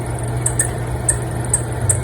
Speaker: Yep. There's the problem right there. It's too squeaky. That right there.